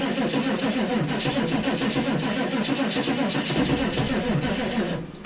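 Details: 6.5 turbo diesel cold start at -15°F: sluggish, uneven cranking at about three and a half turns per second that stops without firing. Weak batteries; the owner believes only one was connected because the other had a poor connection.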